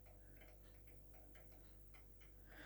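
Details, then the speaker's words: Fitzgerald 5 ft fluorescent fitting with a dying T8 tube: quick even clicking of about four per second over a low ballast hum as the fast-start starter keeps cycling, and the tube flashes badly without properly striking. "you can hear the click that's it's flashing not right i'll try this one here we go news you can hear right you can hear it making a lot of clicking noises so and it is flashing very very badly"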